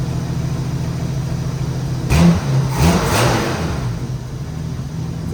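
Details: 1987 Jeep Wrangler after resetting carburetor idle and mixture screws to factory settings: low, even engine note holding steady with a brief rev, no misses; running cleanly, noticeably better.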